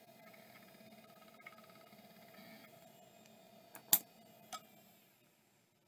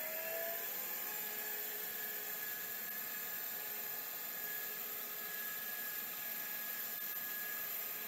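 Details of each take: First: Western Digital Caviar drive, one of five on test: faint steady high hum with soft ticking, then handling clicks; spins up and runs normally, judged good. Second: Last of the Miniscribe 3212 Plus hard drives, terminator installed: a thin high squeal over a quiet steady whir with no seek ticks; owner suspects a possible head crash, to be checked by opening the lid.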